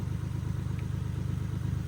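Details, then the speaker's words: Infiniti G37 with a cylinder misfire. Low, lumpy idle with skipping exhaust beats, shaking growing worse as the rpm jumps and the hood shakes. "You see, it's starting to shake more. The RPM jumping."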